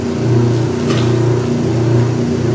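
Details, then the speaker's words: Free used Kenmore 80 Series washer tested, drain cycle: steady low pump drone with a brief slurping gush as the pump cavitates at the end of a normal drain, then spin engages; spin clutch possibly slightly worn. "heard the cavitation and you saw the water just go that was cool"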